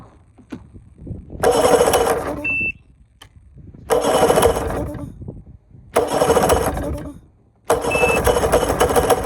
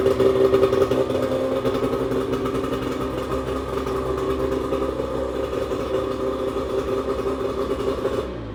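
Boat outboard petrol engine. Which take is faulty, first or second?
first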